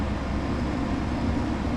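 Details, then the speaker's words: Ice Air PTAC unit tripping its breaker, condenser fan running; steady unchanging low hum under the fan rush as the compressor stays stuck drawing locked-rotor current far too long. "That's the compressor drawing that. That's staying locked for way too long."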